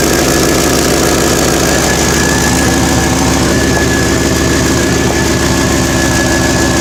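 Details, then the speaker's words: Loud steady idle with a sharp chuffing puff on every firing pulse. Exhaust is escaping where the exhaust flange has rotted away. It is a safety concern because of carbon monoxide. Exhaust leak. "Safety is an issue. I hear exhaust leak."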